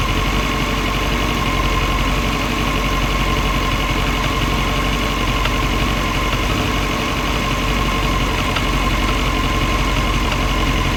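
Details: CBR939 motorcycle engine idling steadily with a light, somewhat uneven metallic knock about three times a second; metallic knocking at idle.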